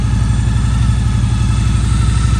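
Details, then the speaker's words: Victory V92C V-twin just after a 38°F cold start, on choke, phone held close to the engine. Deep, even lope at a fast cold idle with no ticks or knocks: healthy. "I'll put the phone close to the engine so you can hear it purr. I'll shut off the choke."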